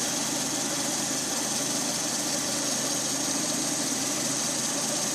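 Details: Lada Priora 126 engine, warmed up, 50,000 km, 20,000 km after piston-knock repair, timing kit and water pump just replaced: steady even idle with light top-end hiss, no knock; runs well compared with before.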